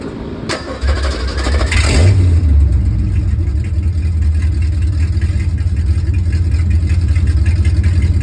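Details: 1969 Ford F350 V8 with new long tube headers and an Edelbrock intake, no mufflers, on a cold start. It cranks and catches, then settles into a loud, deep, choppy rumble. Open header exhaust.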